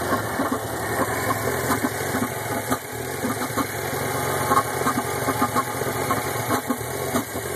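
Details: Pontiac Solstice GXP cold start at 54 degrees, settling into a lumpy idle with uneven stumbles and pops breaking the rhythm every second or so: a cold start misfire, cause unknown.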